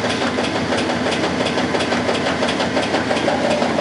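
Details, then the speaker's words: Whirlpool washer, model 9100X1WO, guessed to be from about 1991 and said to be about 10 years old. A strong, regular, even agitation churn with no knocking or grinding. Normal washer agitation. "Agitation strong, that's good. That's what the 66 wasn't doing."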